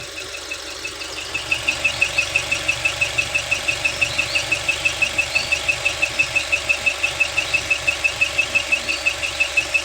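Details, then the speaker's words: Dual VVT-i engine rebuilt after thick white exhaust smoke, squeaking after reassembly: sharp high chirp about three times a second over steady idle, like a mouse pinched inside, unlike injector ticking; camshaft squeak. "dari video yang kita share itu pertama yang jelas adalah suara ee cit cit cit cit cit cit kayak tikus kejepit di dalam mesin."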